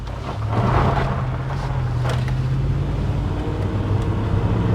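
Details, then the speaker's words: 2011 Range Rover with suspected head gasket problem and hard starting: steady low engine drone while driving under light load, even with no knocks or misfires; temperature fine, no check engine light, runs great but won't start reliably. "it really it runs great yeah it runs good it just doesn't want to start you know"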